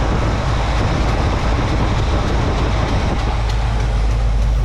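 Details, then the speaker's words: 1986 GMC 3500 dually with hydro boost, after a new steering pump and a resealed steering box input shaft: loud steady engine drone at idle with no whine, groan or gurgle while bleeding air; pump sounds healthy. "push all that air around it sounds like it's doing like it should you know and you don't want to turn the wheel real fast"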